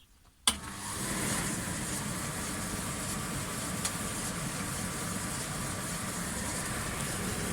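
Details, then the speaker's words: Indesit 7 kg clothes dryer, drained water container: a click at switch-on, then a steady even hum as the condensate pump runs normally, no rattle or grinding. "E aí não dá para ouvir a bombadinha trabalhar um ok a chave tempo suficiente"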